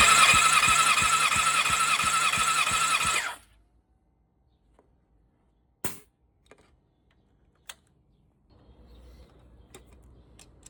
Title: Honda Cbr 600rr pc37 Druck Messung, Ventil Test my Honda haw a problem some strange noise